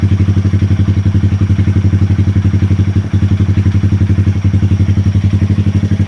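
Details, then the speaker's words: 2020 Honda Grom 125 after ECU and throttle position sensor resets that cured rough idle and misfire: quick even single-cylinder beat with no stumbles, nice and smooth; normal idle, left idling to relearn sensors. "It's nice and smooth now."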